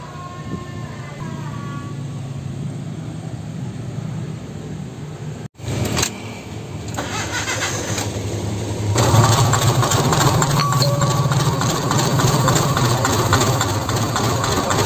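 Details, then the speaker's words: Honda Civic VTi-S, long left unused: after cranking start it settles into an uneven, lumpy idle with a stumbling beat; engine limping, lacking power and sometimes stalling, misfire. "Di mesin ini keluhannya adalah seperti dalam tayangan awal, mesin pincang, terus tidak ada tenaga."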